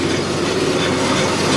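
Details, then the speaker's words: Scion FR-S/Subaru BRZ rear end spinning: a continuous gritty grinding rumble from the rear wheel bearing, first suspected to be the differential; brakes also scrape. Worn rear wheel bearing. "if you can hear that sounds like it's grinding I thought it was a differential but I don't think it is"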